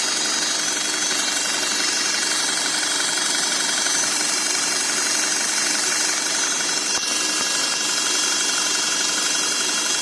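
A steady high whine sits over the even engine hum and holds its pitch throughout, pointing to a whining gearbox.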